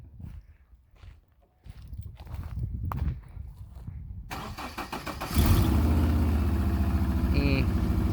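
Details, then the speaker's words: Subaru Forester with newly welded headers at idle; faint quick tick under the exhaust note from a small remaining leak at the header, though much quieter than before. "still a little leak it's what it sounds like but it's a lot quieter than it used to be sounds good"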